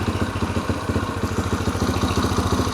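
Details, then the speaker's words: 2004 Yamaha TTR125L with cleaned rebuilt carburetor, new spark plug and new air filter, choke off: crisp even thumps about twelve a second, no stumbles; idles healthy, far better than before though fuel is a year old. "New carb. Well, I should say new clean carb. Sounds good. New spark plug. New air filter. Sounds great."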